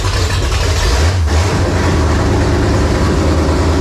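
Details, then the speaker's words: 1980 Pontiac Firebird Trans Am, newly installed replacement engine at first fire-up with no exhaust fitted: loud, open rumble holding a steady, even idle with no knocks or ticks; about 80 psi oil pressure, timing set to 12 with loose distributor, healthy. "Okay, so we are making like 80 PSI of oil pressure on fire up."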